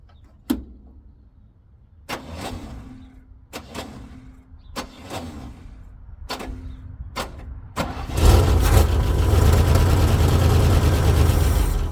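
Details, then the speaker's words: 1968 International 1200 pickup parked over 15 years, after changing the coil and old AC spark plugs: clicks and short cranks, then it catches around eight seconds into a steady even run; accelerator pump not working, carburetor bowl gasket or metering block leaking, needs rebuild. "well we got it running so the bad part is it doesn't have a drive shaft in it so I can't really drive it around"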